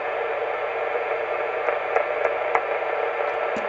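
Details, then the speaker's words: Heathkit SB-610 monitor scope after repair of a strong hissing noise that raised the receiver noise floor: now a soft, even hiss with only a few faint pops when touched, possibly microphonic; noise gone, normal. "I wonder if that just didn't kind of a microphonic condition there I think but that noise is gone and it's doing a pretty good job now"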